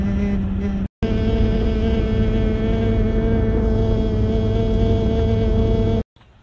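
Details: 2011+ Jeep Grand Cherokee WK2 driving: steady hollow whistling hum over road rumble, wind past a bubbled, lifted windshield lower cowl seal; fixed with black sealant.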